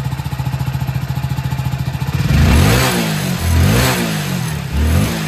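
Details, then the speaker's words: Hero HF Deluxe BS6 motorcycle that would not start or pull on winter mornings, after refitting the fuel pipe and priming by switching the key on 4–5 times: even single-cylinder idle with clean throttle blips, no stumble; problem fixed, revving normally. "এই যে accelerator নিচ্ছি আর দেখো কোন problem নেই এই যে আর কোন problem নেই এখন এক্সেলেটর নিলেও আর যে প্রবলেম হচ্ছিল আর প্রবলেম হয়নি"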